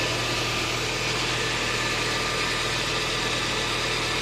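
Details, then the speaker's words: Audi A4 B5 1.8 APT petrol, oil 10W40, after a cold start: steady even idle with no knocking, after the hydraulic cam chain tensioner's 3–4 second cold-start rattle has stopped. "это гидронатяжитель цепи лице бьет именно он 3 секунды три четыре секунды и все дальше машина нормально работа"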